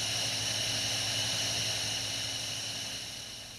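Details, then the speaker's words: Toyota TCCS, fuel pump powered directly by bypassing circuit opening relay with ignition on: steady high even whirring hum, no stutter; pump works normally and pressure rises to standard, so pump circuit is fine. "This is what the fuel pump sounds like when it operates. And the fuel pressure will rise to the standard value."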